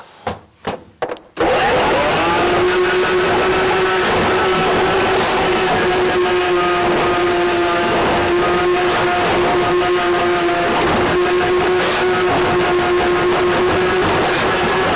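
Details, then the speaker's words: Ridgid K-7500 drain cleaner with a 600 W universal motor, cable at 200 RPM, 3/4-inch inner-core cable, fed manually. A steady high motor whine dips and recovers as the cutter bites the blockage, which is normal loading. "it's going to get noisy but pay attention to the tone of the machine and you will hear when it whines down okay that means that it's actually trying to work"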